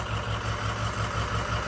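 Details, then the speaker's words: 6.0 Powerstroke diesel that died on the drive home, now idling with an uneven, choppy pulse. Owner suspects the fuel is gelling; not confirmed: rough idle. "I don't know if it's jelling up you can hear how choppy it is"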